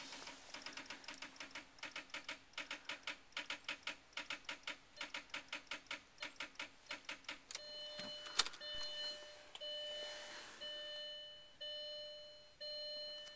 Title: car wont start